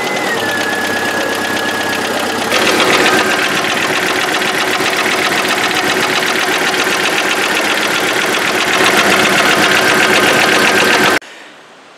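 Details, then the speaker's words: 2002 Jeep Wrangler 2.5L four-cylinder: sharp, steady knock at idle right after start, about four per second. It began as piston slap after a new exhaust, confirmed with a stethoscope, and became a broken piston skirt; engine to be replaced with a long block. "if you're not familiar with what a broken piston skirt sounds like let me introduce you to my jeep"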